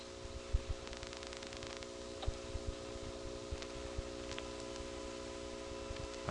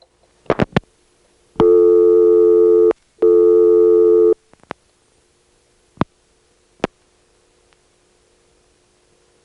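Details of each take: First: Failed call in 1978 through a Siemens motor-switch exchange in Florida (Salt Springs/Crystal River): a faint steady 360 Hz buzz under a quiet line with scattered clicks. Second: 1978 call from Salt Springs, Florida, to Ocala through a Siemens motor-switch exchange: clicks and tones, then a short falling groan as the motor switch runs past many terminals to the outgoing trunk; normal hunting.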